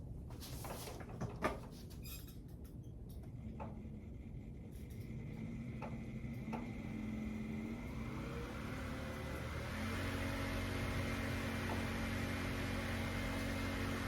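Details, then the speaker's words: Ultrex trolling motor, rebuilt foot with new armature (old shaft looked bent) and seals, bolts torqued to 40 pounds, propeller on. Quiet hum climbing in pitch then holding steady: runs smoothly, as quiet as new. "So I call a success. It's as quiet as a brand new one. Probably because it is."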